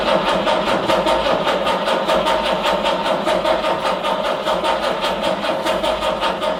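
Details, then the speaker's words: 1968 Jaguar E-type Series 1 that sat all winter, old original starter, starting fluid sprayed into each carb: slow, even cranking that never fires or catches. Owner wonders whether there is spark. Cranks but won't start. "Okay, I think we might have to check if we have spark."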